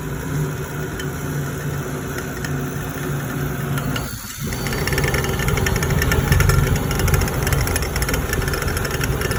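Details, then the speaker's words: Firelake/Shenandoah waste-oil furnace burner, pump bled, put on run: a pump and blower hum, a brief dip, then a fuller steady roar as the burner lights and purges air; normal start-up, air to be set around 12–15 and the regulator gauge half to three pounds. "so there you go right up it's gonna carry on for a little bit getting the air out and all that"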